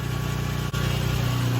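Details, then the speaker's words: Nissan 350Z with stock VQ V6 idling while power steering system is bled after cooler install: quiet, even low hum with steady regular pulse, no ticks or stumbles; healthy smooth idle. "Everything seems to be working as it should. Honestly surprised this motor sounds so good."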